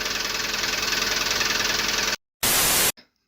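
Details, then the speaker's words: Lada Priora 2170: fast, even knocking over the idle for two seconds before fading, engine not burning oil, hydraulic lifters already replaced without help; owner suspects camshaft wear, possibly pistons, unconfirmed. "сейчас покажу вам как в принципе она стучит масло при этом мотор не жрёт"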